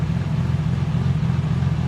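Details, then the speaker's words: RB26-swapped Nissan 300ZX (Z32), first start after new Tomei Poncam Type B cams, adjustable cam gears and timing belt, timing not yet set: deep, uneven choppy idle with a steady lumpy rhythm; lopey cam idle. "gosh that sounds me dudes oh my gosh that sounds freakin sick dude she sounds like a rating proper race car man holy crap"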